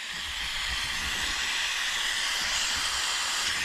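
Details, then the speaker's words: 1980 Peterbilt 359 with lowboy, idling with RPM gauge disconnected after an attempted fix: constant sharp hiss as air drains from the system; owner suspects a bad trailer tank check valve, leak also when both dash valves pushed in. "What is leaking now? I actually don't hear anything. Whatever it is, it's pulling the air right out of this thing though."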